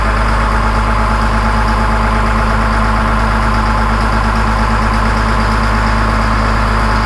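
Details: 2000 Cat 563D ex-USMC vibratory roller, 25 original hours, restarted after fuel filter change during full service: steady, even idle with smooth low rumble, no knocks or misses; healthy.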